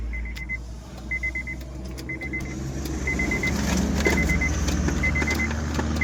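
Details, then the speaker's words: 2014 Honda City that died while driving and cranked without starting, check engine light on, after replacing a burnt main fuse blown by a shorted wire: engine catches and climbs into steady idle while a four-beep chime repeats; normal start. "गाड़ी स्टार्ट हो गई।"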